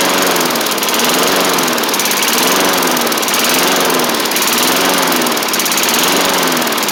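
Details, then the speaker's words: 1990s MTD Yard Machines push mower, old-style Tecumseh primer engine, first running on its own after revival; speed surges and sags about once a second instead of holding steady, throttle still to sort out, uneven running. "Okay, so I do need to get it to run a little better. Again, I got the throttle thing to sort out still, but we are running, which is good."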